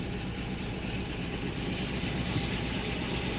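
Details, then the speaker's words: Saab-badged truck converted to 2-wheel drive, rich air-fuel ratio; deep, uneven V8 idle with loping, choppy beat under rough exhaust rumble; lopey cammed idle. "And you can hear it's got quite the rowdy cam"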